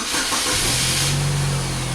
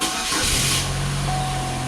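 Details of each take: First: 2004 Oldsmobile Alero 2.2-liter, nearly 200,000 miles, intermittent crank-no-start: the engine cuts out with a hiss, then catches again into a steady idle as a loose wire in the PCM ground splice is wiggled. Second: 2004 Oldsmobile Alero 2.2 L, about 200,000 miles, after repairing corroded engine ground wires and stud that caused intermittent crank-no-start with missing injector pulse: cranks briefly, catches right away, settles to a steady even idle.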